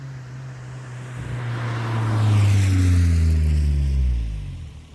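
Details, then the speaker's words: Drive-by of a 2010 Kia Forte Koup SX, 2.4L four-cylinder, six-speed manual, with a Flowmaster muffler: a deep grumbly exhaust that swells and fades, a low steady rumble with no rattles or popping; healthy. "And I'm going to do some drivebys for y'all so y'all can hear the exhaust system."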